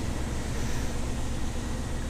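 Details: Range Rover Classic 3.9 EFI V8 with 14CUX ECU, just started at about 55°C engine temperature, reads 1000 rpm on RoverGauge: steady, even low rumble with no knocks or misses; normal warm idle. Throttle reading 11% needs adjusting, CO 1.31.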